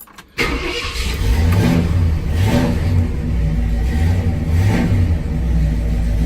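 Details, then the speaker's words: 1966 Ford Ranch Wagon just started cold, before the choke warms: quick fire, then a slightly uneven, rolling idle with mild surging; owner says it runs fine once hot. Normal cold start and idle. "It's a little cold natured at first once the choke kicks in and gets hot, runs like a champ. And that's what usually happens when it's cold like this."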